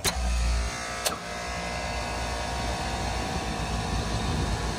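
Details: Three-phase HVAC blower motor after both damaged contactors were replaced, started in unit test mode by closing C11. Two sharp contactor clicks, then a smooth, steady motor hum with no grinding or surging; running normally on all three phases.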